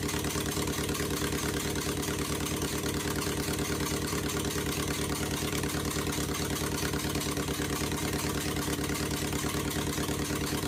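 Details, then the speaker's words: 2001 Honda Civic LX, D17A1 engine, with new injectors and coils, header disconnected, cold. Uneven, loping idle with a choppy exhaust pulse about twice a second, sagging as if it will stall. The owner suspects the timing is off, unconfirmed. "I do hear some exhausting coming straight out of the block which makes me believe that my timing magnificent timing is off"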